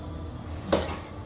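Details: Chevy 307 small-block from a 1956 Bel Air that locked up on a test drive, torn down: a single dull clunk and binding as the crank is turned by hand with number eight rod refitted without rings; something possibly bent, cause not confirmed.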